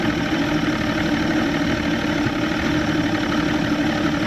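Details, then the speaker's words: Evinrude 150XP two-stroke outboard on a McKee Craft boat with loss of power, after replacing the fuel filter and lines and running from a separate 6-gallon tank: steady, smooth idle with no misses; dirty carb high-speed jets suspected. "Alright, well, you can see here it's idling just fine."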